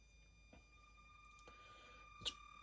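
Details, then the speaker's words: Redcat Ascent32 nano crawler at low throttle: thin steady high-pitched whine from the ESC/receiver under faint slow-crawl drive noises; jerky, not smooth slow-speed crawl; noticeable, noisy ESC whine. "noticeable. I'll say that. It's pretty noisy. Pretty high pitched."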